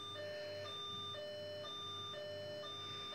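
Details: Old Fox computer system found in a cupboard, giving no display at power-up: a two-tone siren warbles about twice a second from the speaker, with no steady beep count. BIOS fault alarm, cause unknown.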